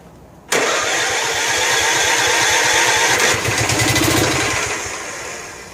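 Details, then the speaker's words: Snapper Hi-Vac commercial mower, Robin/Wisconsin engine, electric start on jumper pack after priming a little fuel: starter churns unevenly for seconds without catching; no fuel getting in, choke location unknown, starter may need lubrication. "But for right now, it doesn't look like we're getting any fuel in there,"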